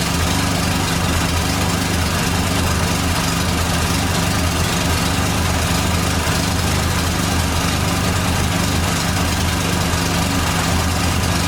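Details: 1989 Dodge Daytona ES salvage-yard car: rough, steady idle rumble with a constant thin whine, noted as power steering whining.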